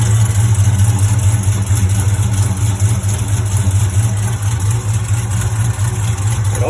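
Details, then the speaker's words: HEMI V8 on the first cold start of the day, with long-tube headers fitted. A light, fairly even tick rides over the low idle rumble and is loudest on the driver's side near the header bolts. Lifters, trays and rollers were inspected and found fine; the cause is still unknown. "I'll actually start the car up so you guys can hear it from a cold start, and then I'll pop the hood."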